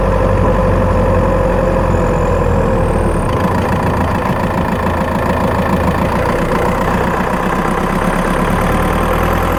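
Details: Skoda Octavia 1.9 TDI PD, microphone in battery box while driving: diesel pulling under load with road roar and a faint, uneven light tick and chirp mainly when accelerating; ticking chirping noise, source not pinned down.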